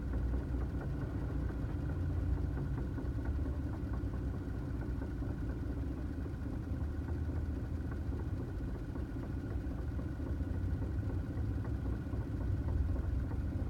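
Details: 2009 Toyota Tacoma at steady idle: a faint constant whine rides above the engine note; an odd noise whose source can't be pinned down.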